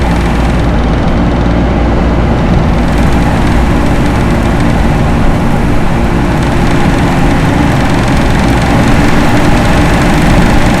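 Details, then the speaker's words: Loren Cook 100 ACEM rooftop commercial exhaust fan with a newly replaced motor, turned down from full to half speed to extend motor life: an even, deep steady roar with a constant low hum and no rubbing, squeal or rattle. "There it goes, full speed. See the towel moving? I don't know if we need full speed. I'm going to turn it down some."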